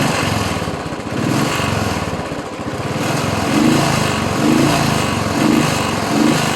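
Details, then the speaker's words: Royal Enfield Bullet single-cylinder: the idle stumbles and surges, with beats dropping out about every second. It is misfiring because rain water got into the carburetor fuel. "മഴ ആയതുകൊണ്ട് കറുവെട്ടിൽ വെള്ളം കയറിയതാണ്"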